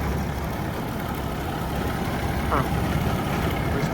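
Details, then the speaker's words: Gleaner combine at farm auction, engine running: low steady diesel rumble, no knocks or ticks, slightly wobbly but all turning as it should; motor quiet, normal running. "Little noisy, but not bad. Little weeble wobbly there on that boy. But, it's all turning like it's supposed to. Motor's pretty quiet."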